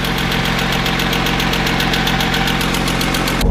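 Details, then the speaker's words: Idling engine with a sharp, rapid, steady ticking from a hydraulic lifter, heard from above, below, and even through the exhaust because of metallic resonance; a stethoscope is needed to locate it. "Vous l'avez entendu, ça claque de partout du dessus du dessous. On entend même dans l'échappement le claquement."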